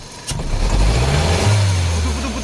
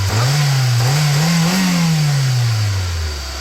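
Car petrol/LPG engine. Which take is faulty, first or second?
first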